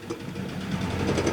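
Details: Old Toyota car whose engine has thrown a connecting rod, the rod punched through the block, yet it still runs: rough, uneven clattering over a ragged low idle, irregular knocks, smell of burning oil.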